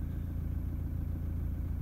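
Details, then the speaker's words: Toyota Prado 150 diesel shortly after cold start, heard from cabin: low idle with uneven, lumpy beat felt through the seat; rough idle, injector diagnostics point to cylinder 3 or 2, cracked pistons suspected. "Yeah, it's like rough coming back to idle. Rough idle. I can feel it through the seat, you know. It's like rough."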